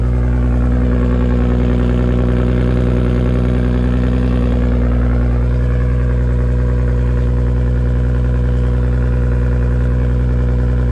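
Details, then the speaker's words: R33 Skyline with a freshly rebuilt, fully forged RB25DET engine, warming up at idle for a couple of minutes after start: steady, even low idle with a smooth, regular pulse and no knocks or ticks; normal idle. "usually it wraps up a bit there I let my engine warm up for a little while even about a couple of minutes"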